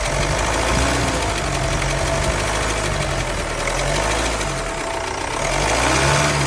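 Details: 2016 Vauxhall Insignia B20DTH diesel at idle: light uneven metallic rattle over the clatter, apparently from the front of the engine; timing chain noise suspected, not confirmed.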